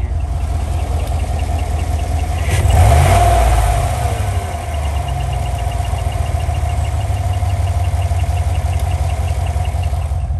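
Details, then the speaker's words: 2015 GMC Denali L86 6.2L V8 with displacement on demand, 114,000 miles, at idle: thin steady squeak with faint quick tick over V8 idle. Changes with RPM, began intermittently near 110,000 miles, slowly worsening. Bad roller lifter. "It also will change with the engine RPM as it changes. This is a 2015 L86 6.2 LT motor V8 with 114,000 miles on it. It started doing the noise intermittently, probably closer to actually 110,000 miles, and has been just slowly getting worse."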